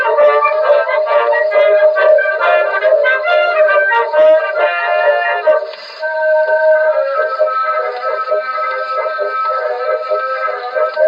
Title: here is what a defective Edison reproducer sounds like